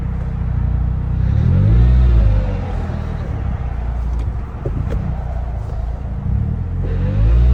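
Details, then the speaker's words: Turbo Toyota Corolla transmission: heavy low rumble rising and falling with coarse grinding inside as it strains in gear; no reverse, first gear impossible, transmission failed internally, later swapped to EC60 6-speed manual. "It is really I can't even get in reverse right now, but it looks like it might want to go forward, but it definitely sounds like something's grinding inside the transmission."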